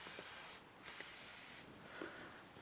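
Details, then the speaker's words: Bicycle tyre being inflated with a cheap inflator: sharp, high airy hiss in two bursts as air constantly leaks from the inflator. "It's just you hear it hissing. It's the thing. It just leaks constantly."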